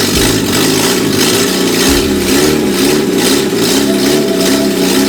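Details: Grandfather's Peugeot 104, after some adjustments, no muffler fitted: a loud, raw idle that hunts and wavers unevenly instead of settling. Rough idle; cause not pinned down.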